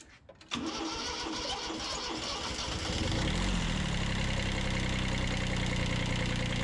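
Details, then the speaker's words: 1991 Kubota B7100 HST diesel after fuel filter change: cranks and catches, then idle hunts unevenly as it sucks air into the fuel system; bled later via bleed screws. "And go ahead and start it up. Watch it suck a bunch of air."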